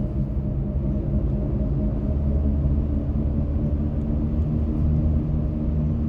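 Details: 2024 Ford F-150 PowerBoost hybrid driving with a steady low hum under road rumble, heard in both electric and gasoline mode and under acceleration; cause unknown.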